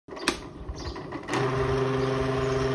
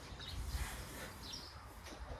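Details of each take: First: Electric fan, very noisy and spinning weakly: motor starts with a loud, rough buzzing hum and fluttering rattle from worn, loose shaft bushings, before disassembly for repair; worn motor bushings. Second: Electric fan after disassembly, oiling and reassembly to fix loud noise and weak spinning: runs quietly with soft low hum, no rattle or scraping, birds outside; normal quiet operation.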